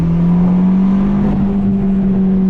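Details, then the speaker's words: Ford Fiesta ST test drive under boost after installing new NGK spark plugs at stock gap: a strong, even drone that holds steady pitch and pulls cleanly with no stumble. Normal acceleration, no misfire. "Oh yeah. Sounded great, acting great. Zero issues."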